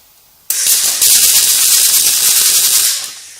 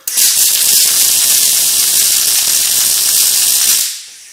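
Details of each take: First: Riland MIG 2000T multi-process welder on MAG setting, percentage turned all the way up: harsh, hissy crackle for about three seconds with no steady frying rhythm; wire feeding far too fast. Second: Riland MIG 2000T welder with 32-gauge wire after turning the wire speed down: steady, even frying sizzle with no pops, so the arc sounds right. The percentage setting still isn't taking effect and penetration remains poor.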